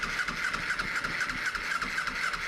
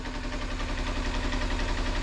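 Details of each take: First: 2007 Kawasaki Ninja EX250 sitting 5 years, cranked with starting fluid: ragged sputtering crank that catches and dies with a backfire pop; vacuum leak from the open fuel petcock vacuum hose leaning it out. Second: 2007 Kawasaki Ninja EX250, unridden since 2018 (5 years), just started and warming up on little fuel: steady even low putter with smooth fast pulse, no knocks or misses; clean healthy idle.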